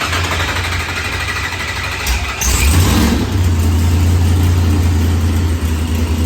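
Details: Blown, LS-swapped Mopar V8 after head gasket repair, replaced intake air temperature sensor and fixed fuel pressure sensor, firmware update and slight fuel-table trim: starter cranks briefly, catches and settles into a steady, deep, even idle without knocks or misses; normal idle.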